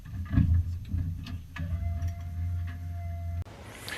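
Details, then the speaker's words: Foxbody Mustang notchback drift car on a newly installed Holley Terminator X after a full custom rewire, with the idle screw and fuel tables adjusted, warming up. Low, steady idle rumble with light ticking; it holds speed evenly and runs fine for now. "Glad I got this thing running. So running on Holley and all my wiring."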